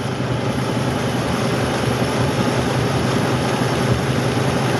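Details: 2004 Dodge Ram 5.7L Hemi at idle, at night in winter: low, rough, uneven stumbling pulse, about two or three a second, rather than a smooth beat. A bank 1 misfire with a check-engine light, being diagnosed through the O2 sensors and their circuits.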